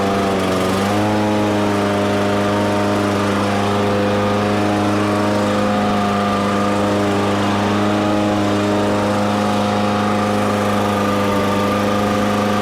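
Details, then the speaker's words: Toro commercial mower, engine previously replaced, wheel drive grinding repaired (unlubricated metal gears): steady even engine drone at constant speed, no grinding or clunking from the drive like before; traction healthy. "but it's definitely not getting hung up like it was before or making grinding noise like it was before"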